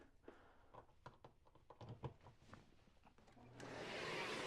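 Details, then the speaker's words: Philips cordless vacuum switched on after plugging in its power supply. A smooth, even whoosh with no rattle or whine: very quiet, running normally. "So I'm going to turn on the Philips. It's very quiet."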